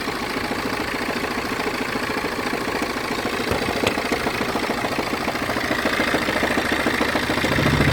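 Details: BMW 320d F30 diesel at idle with a rough, rapid grinding/rattling judder, roughly three beats a second, felt through the clutch pedal; it vanishes when revved and returns at idle, intermittently over weeks; cause unknown.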